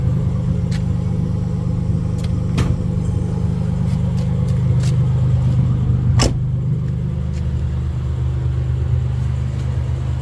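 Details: Nissan Z31 300ZX V6 before top-end rebuild: low rumble with uneven stumbling beat, about three irregular thumps a second; misfire, cause unknown.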